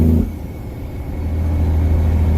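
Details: Semi-truck at about 1800 rpm with the Jake compression brake stepped up to all six cylinders: a deep, even exhaust rumble builds steadily. Normal engine braking on all six cylinders.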